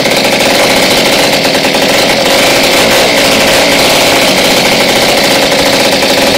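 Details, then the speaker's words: Jawa 50 type 23 "Mustang" two-stroke, first start after a full engine rebuild with new bearings, ignition, clutch and cleaned carburetor, clutch cover off, timing set by eye: fast, even, crisp buzz. Runs well; ignition timing needs fine-tuning. "Paráda Ty jo Ještě by to chtělo doladit před stich a můžeme vyrazit"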